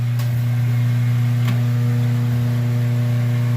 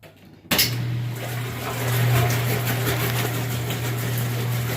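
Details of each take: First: Washing machine with lid switch bypassed: steady low motor hum while the motor runs but nothing agitates or spins, caused by a broken motor coupler. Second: Top-load washing machine after motor coupler replacement, lid switch held down: steady low motor hum under sloshing water, even with no clunks or grinding; agitator working normally.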